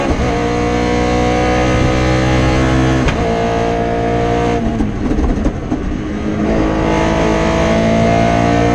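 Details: Rally car at speed on the Padmore Village to Golden Grove stage, Rally Barbados 2017, hard-revving with a ragged, choppy edge and dropouts through the pulls: a misfire from an injector wire that broke around the stage's halfway point.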